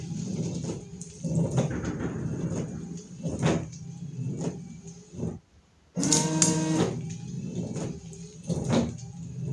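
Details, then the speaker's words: Car windshield wipers with newly replaced blades, run with the ignition on and the engine off: smooth sweeps about every two and a half seconds with a soft, even swish and no chatter or squeal, so the wipers are working properly. "он шикарно работают вообще вопросов нет те дворники точек рипли что мама не горюй"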